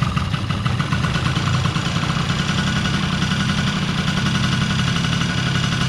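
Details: Honda Dio AF27 two-stroke scooter at idle after fitting a new 92mm TWH variator (was 89mm) and trimming the case for clearance: steady buzzing idle, even low rumble, no knocks, rattles or hunting.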